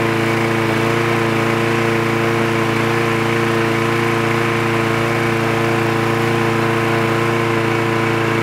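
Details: Trash-picked free Craftsman push lawn mower with automatic choke, running after the spark plug wire was reconnected: a smooth, constant buzzing drone at steady speed with no surging or sputter; it runs clean and even.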